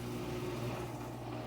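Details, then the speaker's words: Front-load washer drain pump during pump-out cycle, after three-phase drum motor checked good via electronic motor control board: steady low hum with an even pump whir, no rattles or grinding; strong water flow, drain pump healthy. "event cycle to pump out verify pump drain pump sounds good volume of water exiting washing machine excellent"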